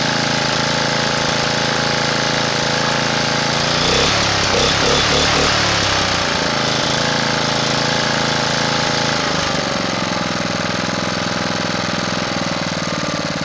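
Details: Honda GX240 single-cylinder engine after re-cleaning the carburetor idle circuit passages and jets to cure surging: it thumps at a fast, even beat, and the throttle rises briefly then settles back without hunting, running smoothly.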